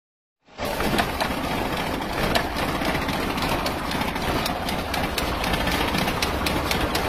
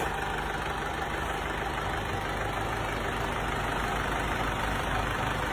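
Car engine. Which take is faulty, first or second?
first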